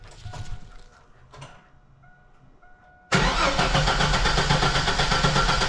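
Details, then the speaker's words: 2000 Chevy S10 ZR2 after a new Delphi fuel pump was installed. Starter spins the engine steadily at about four beats a second but it never catches; crank-no-start, likely because the fuel pump ground at the rear of the truck was disconnected when the bed was off. "We tried to start the truck and it wouldn't start, but we got to thinking about it, and we're pretty sure that the ground for the fuel pump is actually at the back of the truck here, and those are of course disconnected because we had the bed off."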